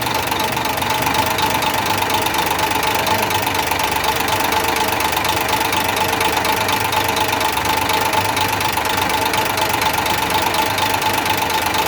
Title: another mechAnic job 101.....trouble and diagnose engine knocking......